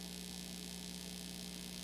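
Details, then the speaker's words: Constant low, steady 60-cycle mains hum through a DJ's speaker, unchanged throughout; likely a grounding fault. "Because even though the buzzing noise is coming from my speaker, it doesn't necessari"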